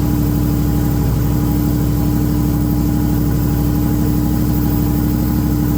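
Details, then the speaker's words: Holden VL Commodore turbo running for the first time in 20 years, after a wiring connection was fixed and a fuel system hooked up. It holds a deep, steady, even idle with no knocks or misses and sounds healthy. "all righty so just a little update on how the valve will be going or is going so got most of the Interior all in now"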